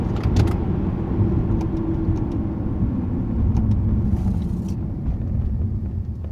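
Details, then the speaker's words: 2008 Pontiac Grand Prix GXP under way after a Thrush welded muffler install, with Active Fuel Management (DOD) not engaged: a deep, even bass rumble with some road noise and no drone, rasp or misfire. Normal V8 exhaust note. "but other than that when the car is not dod it sounds great"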